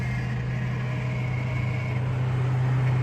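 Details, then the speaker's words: Old boat engine started with a worn Arctic Cat key. A low, uneven idle with a lumpy, stumbling beat around four pulses a second; the owner thinks it's not firing on all cylinders. Rough running, misfire. "That sounds rough. Maybe I'll do this. Then I don't need the blower."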